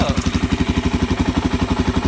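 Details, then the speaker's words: Wrecked salvage 2019 Suzuki DR-Z400 supermoto, first start, cold: steady single-cylinder thump about nine beats a second, even and unbroken, no knocks or misses; healthy idle. "Dude, I can't believe this thing fired right up. Runs good."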